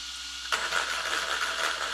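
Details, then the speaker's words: T2M Black Pirate MT RC truck on 3S, checked before its first run: silent until throttle, then a sharp, raspy steady whine over the motor; a gear somewhere is not meshing right, blamed on soft cold-pressed steel gears; not serious. "que tu entends ce bruit ça c'est un ent-ent quelque part qui n'est pas ok c'est pas la mort non plus ce sont des aciers pressés à froid relativement tendres au niveau du mélange"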